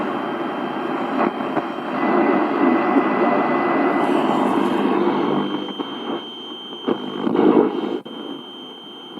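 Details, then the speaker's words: 1960 GEC BC505 Transistor 7 portable radio, working, on long wave before a planned full capacitor replacement. Loud rushing noise with a faint, muffled station fading in and out, barely legible though the output is powerful; weak, noisy reception. "There is something there, but it's barely legible. But it's working and it sounds powerful enough, so what am I going to do with it?"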